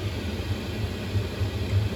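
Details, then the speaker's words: Chinese diesel heater burning waste oil with under 10% gasoline mix, H4 setting, out of Alpine mode, cold temperatures: even low roar, no sputter or surging; starving sound heard at 20% gas is gone, steady burn. "as soon as I went under 10 percent that sound is gone that funny sound in the back that like it's starving for her and cold cold temps"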